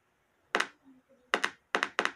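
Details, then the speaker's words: Homemade 12 V inverter oscillator board with output deliberately shorted, speaker connected: only sharp irregular paired clicks, no steady tone; board not oscillating, and connecting the MOSFET stage would burn the MOSFETs. "eu tô fazendo eu tô fechando um curto tô ligando para você ver se você ligar na saída que vai para uma festa de fazer um bagulho assim ó alto falante não o Filó estão curto"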